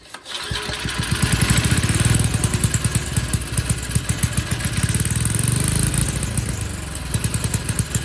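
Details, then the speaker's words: Troy-Bilt tiller that sat for years, after new throttle arm and linkage, before oil and spark plug change: catches after a couple of pulls and runs with a strong, steady, even thump; normal running. "well not too bad for a tiller that i would say it's been forgotten in the way that this thing has been looking and everything it's like it just must have sat forever"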